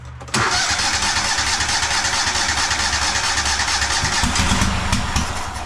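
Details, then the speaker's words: Cub Cadet Super LT1554 lawn tractor, 27 hp Kohler V-twin, 500+ hours, after head gasket replacement: cranks, catches, then jumps to a screaming overspeed roar without settling; runaway engine right after governor linkage reset at full throttle. "Now we got a runaway. I love making governor adjustments."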